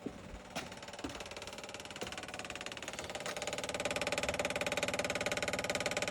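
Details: 1970 Morris 1300 (ADO16) barn find, after the fuel pump was confirmed delivering fuel with no leaks: a small four-cylinder settles into a steady, even idle after a couple of early clunks, with no misses or knocks. Normal idle.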